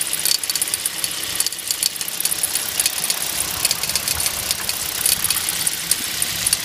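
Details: Hyundai Solaris petrol engine idling with a fast, sharp tapping ticking steadily over a thin, high running sound; engine knock, cause unknown.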